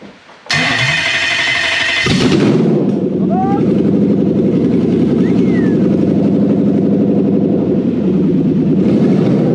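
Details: Toyota 1UZ VVTi V8 petrol on the bench with new wiring loom for a Hilux swap, first start: strong start then deep even burble with clean rev blips; runs right, petrol stale from sitting.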